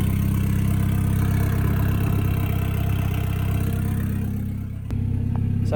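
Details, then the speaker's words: CA18DET-swapped JDM Mazda Miata, first start: started straight away and settles into a smooth, even idle with a steady low hum; slight smoke burning off, runs normally. "so trying to do me a tree mate so we've actually got harder for the first time and it sounds sounds healthy sounds right little bit of smoke coming off over there but that's fine that's just burning off all the stuff"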